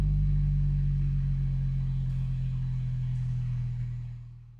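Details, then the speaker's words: Apple HomePod after repair and factory reset: clean, steady setup chime that fades away with no buzz or rattle; speaker plays it properly. "we're just listening to see if that setup Chime sounds nice and clean that sounds good"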